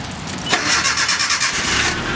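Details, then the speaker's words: 1987 Nissan D21 pickup, Z24 four-cylinder, long-sitting, with new fuel pump, drive shaft just connected: short crank, catches at once, settles to a steady idle; normal prompt start. "fires right up that new fuel pump"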